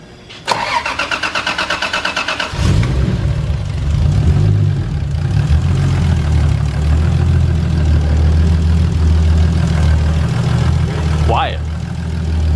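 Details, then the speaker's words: Supra with a new, larger replacement turbo fitted, oil primed and dry cranked first: starter cranks in a quick even chatter for two seconds, then catches and settles to a steady, smooth idle, no leak hiss, downpipe no longer leaking. "i know it sounds like we're good we got no leaks"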